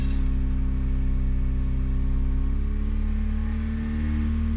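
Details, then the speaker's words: 1991 Honda Prelude Si, not yet warmed up, with a squealing, worn AC belt: steady engine drone whose pitch creeps upward as the AC is switched on; idle revs up high and surges, cause not yet found. "okay why are you revving up when I turn on the AC it stopped but now it's like revving like really high"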